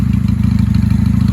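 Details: 1995 Honda Shadow 600 VLX VT600CD V-twin after fuel-leak repair, warming up: even, steady lope at idle with a smooth regular beat and no knocks or ticks; normal idle.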